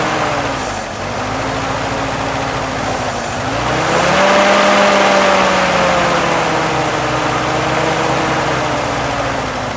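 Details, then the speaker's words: M38A1 Jeep started for an initial assessment catches and settles into a steady, even run with smoothly rising revs and no knocks; it runs fine, but the carb looks like it will need cleaning. "not too bad yeah sounds good running fine cobwebs are burning off"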